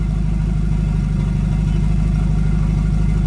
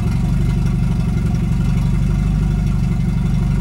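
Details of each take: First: Volvo 245 after turbo swap: steady, even low idle with smooth pulsing rumble, no knocks or misses; starts right up, idle needs turning up slightly with the screw. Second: Volvo 245 after turbo swap, idle slightly low: steady low idle rises and falls for a few seconds as the idle screw is turned up, then settles evenly; low idle speed being adjusted.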